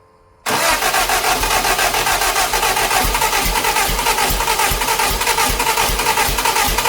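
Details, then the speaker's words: Lotus Europa Twin Cam with 123 Ignition distributor, valve clearances off, Stromberg carbs spitting back, distributor turned while cranking, possibly 180° off: starter churns steadily with weak irregular beats near two per second but never catches; wrong ignition timing. "She doesn't want to go. It's not firing at the right time."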